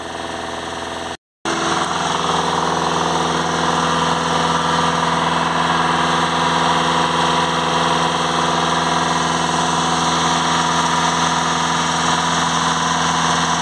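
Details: VW Crafter 2.0 TDI van with code P2463 blocked DPF soot restriction, revs held with accelerator depressor while watching DPF pressure in live data: steady raised speed, smooth even drone, no knocks or whistles; engine running cleanly.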